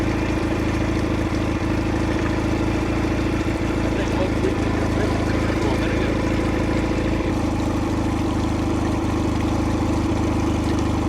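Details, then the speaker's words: 2004 Nissan 9.8hp two-stroke outboard on a stand, after zip-tying the ears of the broken fuel pump hose clamp that let it suck air and lose prime: constant, even buzzing with no misses or knocks; running properly. "All right, so definitely that guy right there was the reason why it didn't run."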